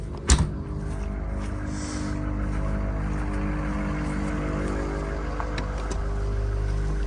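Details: Retired 2013 Ford F450 6.7 diesel ambulance, engine, transmission and accessories replaced with new OEM parts now at 120,000 miles: steady low idle rumble, even and smooth, no knocks or ticks; healthy engine.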